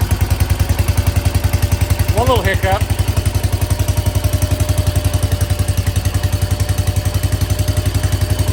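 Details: 1968 Case 155 garden tractor, just revived by cleaning the points for no spark: steady, even chuffing at about 220 beats a minute with a brief hiccup early on, then it settles; normal idle.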